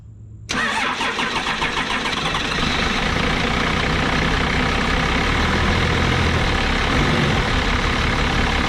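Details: 1989 Dodge Ram D250 2WD, 12-valve Cummins turbo diesel with VE injection pump, first start after new alternator, water pump and thermostat: quick crank, fires at once and settles into steady diesel clatter at idle with no knocks; healthy cold start.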